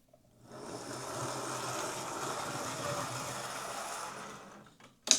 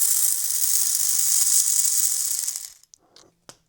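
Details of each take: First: Old Hornby Class A4 Mallard model locomotive with CD motor conversion, after reworking the gear clip, cleaning and re-oiling, on test track drawing about 100 milliamps: soft even hum, brief stop and restart, no whine; motor running quietly and healthy. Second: Old Hornby Class A4 Mallard model locomotive with botched DCC conversion, motor bench-tested on stripped wires: fast, raspy high-pitched whir spinning very fast, then winding down and stopping; sounds like a dry, unlubricated little motor drive.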